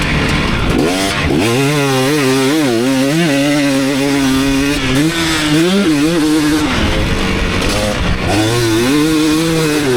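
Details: 2019 KTM 250SX two-stroke after tuning the Lectron Billetron 38 Pro carb: crisp, responsive revving with no pinging, running right; rider heard only slight detonation once or twice when hot late in session.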